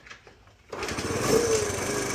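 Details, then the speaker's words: 2007 Honda CT110 single-cylinder motorbike after sitting three years, kicked over on choke with old fuel: cold choked idle with a busy metallic clatter; timing/cam chain sounds loose and rattling, needing adjustment (suspected, not confirmed). "Well, that's running. You can the timing chain sounds really loose in there. Lean it over. You can actually hear it rattling."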